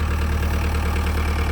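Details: 1998 JCB 208s (1CX) diesel backhoe loader, after rebuilding its clogged injector pump and fitting a new ignition switch: steady, even low idle rumble with no knocks, misses or clatter; engine sounds healthy.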